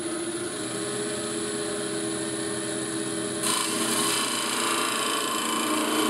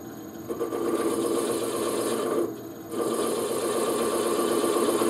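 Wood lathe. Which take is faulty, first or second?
first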